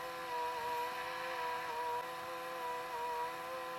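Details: Pye VRD-300L VCR with 1992 Daewoo chassis, rewinding near the end of the tape: steady high whine whose pitch dips and recovers as the belt slips; slipping drive belt.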